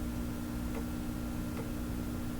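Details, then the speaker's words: Fleetwood 660 record player being checked before repair, turntable running at 78 speed during a reject test; faint soft tick roughly every 0.8 seconds over amplifier hum, at the same point each turn of the changer mechanism, cause suspected. "let's see if it will reject now the clicking you can hear"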